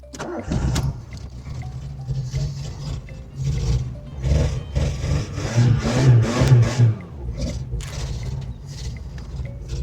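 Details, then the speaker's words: VW Polo 86C breadvan, engine freshly started after standing 10+ years, air filter housing removed, choke flap fully open, oil leaking from under the cylinder head: rough idle that stumbles and surges, not running on all cylinders; misfire, cause unconfirmed. "It's not running on all cylinders, but I'll be surprised if it would, you know, after standing, you know, bloody 10 years plus."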